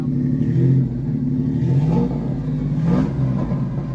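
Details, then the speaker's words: $900 drift build car with new header and exhaust, no tune, idling stable around 1,000 rpm: three quick throttle blips climb cleanly and return to steady idle; loud but normal revving. "that sounds pretty normal considering there's a new header and exhaust on there with no tune."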